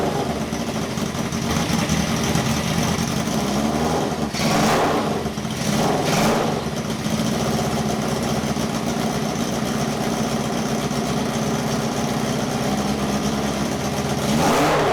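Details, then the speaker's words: Uneven, stumbling idle with a sharp ticking puff under the exhaust note on a 1978 cafe scrambler build; all four exhausts hot and valves not stuck, yet it misfires. "and everything is firing as it should be except that it's misfiring"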